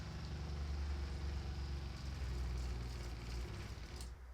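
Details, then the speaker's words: Winnebago Micro Minnie FLX RV freshwater pump (replacement pump) runs on with a low throbbing hum after a faucet is opened, never building pressure; same complete loss of pressure as the old pump. "Well, that sucks for us because it's working better than the other one was, but still exhibiting the exact same complete loss of pressure that it was also doing. Interesting. H can hear how long it's running after opening a faucet."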